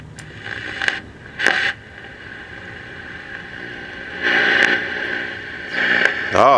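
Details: Philco Predicta pedestal TV after recap, first test run with speaker reconnected to correct pins: thin tinny voice-like sound from the speaker with warbling tone at end, earlier gurgling gone; audio output working.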